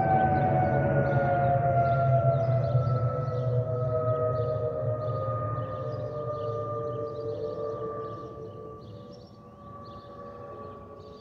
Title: Delta Airlines Airbus A319-114 N330NB DL720 SYR-DTW (FOPP whistling sound)